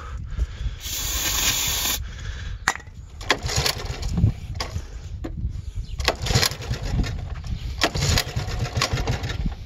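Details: Auction Honda 90 started on sprayed ether, tire needing a tube: small engine sputters and surges unevenly, revs rising and dropping in ragged bursts; owner says it just needs the carburetor working.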